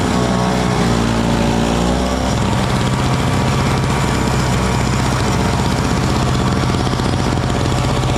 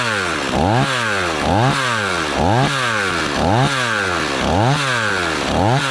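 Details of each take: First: Small Frontier backyard snowblower clearing snow from a shop floor in cold weather: a steady, even drone under load that loads briefly, then settles with no misses or knocks. It is running healthy. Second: Stihl 026 two-stroke chainsaw after rebuild, warming up on thick fuel: idling fast and slightly uneven, surging about once a second; idle set a little high, chain just starting to turn, though saw seems happy.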